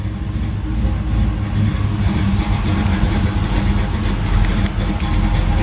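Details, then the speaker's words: 1973 Camaro Z28 V8 with a fairly radical cam, monthly start-up, idling by itself heard outside: loud steady idle with an even lumpy beat and distinct cylinder pulses; normal idle. "okay it's idling by itself now let's take a look outside if I can get outside here as you can hear it's a fairly radical cam it's got that good old V8 sound"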